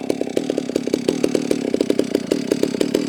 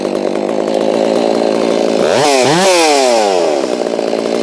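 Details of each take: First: Holzfforma G660 chainsaw warming up on a chilly morning: uneven popping idle of about eight pulses a second that stumbles irregularly, so the low-speed mixture is out of adjustment and needs turning in. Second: Holztfforma G660 chainsaw after the low-speed screw was turned in about 1/16: at full throttle it screams with a slight four-stroke burble at the top, which shows a correctly tuned high end. The low end still needs adjustment, and a tach check is planned.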